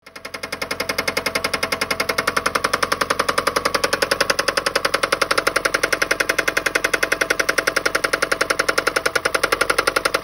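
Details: Toyota Prius engine run out of oil: hard, loud metallic pounding about two per second, steady and even; rod knock from oil starvation, with lots of metal found in the oil pan.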